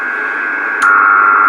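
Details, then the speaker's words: Homemade 12 V 30 A supply (S-400 PCB in a metal case) heard on an IC706 HF receiver: a steady whistle over hiss when the case is earthed, from the front display. Switch-mode RF interference. "there is another spiegel that happens when i earth this part of the case which is coming from this uh display device down there so it's also generating a little bit of hash as well"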